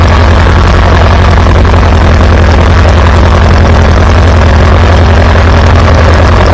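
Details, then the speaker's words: Farmall B tractor running after a weak ignition coil was replaced, restoring strong spark; steady, even low exhaust beat with no misses or stumbles. Good oil pressure. Normal running. "Wow, not bad, not bad. Listen to that thing purr."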